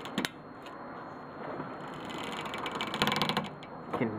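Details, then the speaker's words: Car with worn front wheel bearings (play in the balls, bicycle-card-in-rim sound); short bursts of dry clicks and ratcheting while turning the wheel, a second separate noise when turning, cause unclear. "and then when you're turning also there's another noise I think we're dealing with a couple so"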